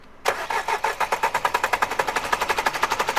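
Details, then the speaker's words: Renault Duster 4x4, 110 hp engine, smoking, sooty, on its fourth turbo: hot engine cranks steadily at about three compressions a second but never catches; it starts only when cold or by push-start. "मैंने गाड़ी बंद की, फिर ignition on किया, देखा आपने? Engine गर्म होने के बाद कार स्टार्ट नहीं होती।"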